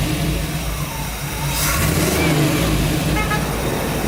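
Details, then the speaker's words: 1965 Chevrolet C10 Fleetside truck with a modified 327 V8 and upgraded MSD ignition: deep, steady V8 burble with a brief throttle blip, settling back to an even, healthy idle; normal idle. "the very last thing we have to do is start this thing up show you what it sounds like"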